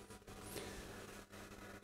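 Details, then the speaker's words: Epiphone Valve Special hybrid tube guitar amp, switched on after standby with master volume at zero: steady low mains hum and hiss with faint crackles, worse on first test; noise arises after the volume pot. "if you can hear that noise it was actually worse when i tested the first time around this thing was cracking like crazy"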